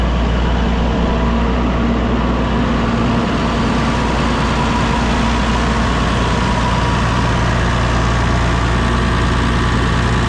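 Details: Massey Ferguson MF 6480 tractor after sitting two years, running again once the injector pump that fell off was refitted: smooth, even diesel idle with a steady low beat, no knocks or misses.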